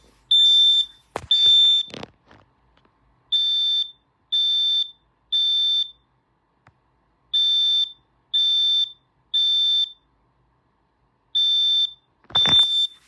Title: Smoke and carbon monoxide alarms